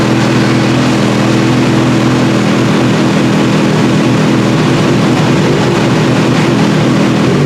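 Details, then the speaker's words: Kawasaki ZH2 on dyno, wide-open pulls: loud, steady full-throttle roar, even note, no misfire, pops or rattles; motor sounds healthy, though lean at light throttle/low revs is blamed on an unblocked PAIR valve and a dirty air-fuel meter pump. "So, anyway, the motor sounds pretty good though."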